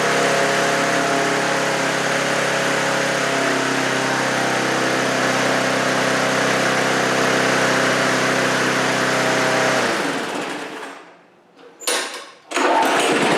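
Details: Briggs & Stratton 3.5HP push mower engine with carb-on-tank primer-bulb carburetor, just cleaned and rebuilt, primed three times with no choke; runs at a steady, even putter for about ten seconds then dies, healthy, no misses or knocks, despite pinhole leak in tank.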